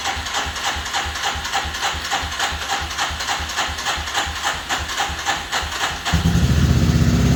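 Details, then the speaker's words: 1985 Suzuki LT300 quad after starter repair, sat a couple of weeks, in neutral: starter cranks in even pulses about three a second, the engine catches around six seconds and settles into a steady idle. "I really appreciate everybody following along, getting this little bike up and running again."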